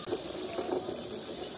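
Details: Honda motorcycle with rear drum brake, ticking from the rear, more noticeable under load: light, uneven clicks over a soft whir; suspected causes include overtight or loose chain, rear wheel bearing, or brake, not confirmed.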